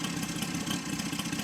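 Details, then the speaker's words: Saito FG60 R3 radial after break-in and leaning per manual: steady low-speed buzz firing evenly around 1200 rpm, no hunting, misses or surging; clean, settled normal idle. "idling at about 1,00 12200 right there I can go much lower but I'll probably keep it there"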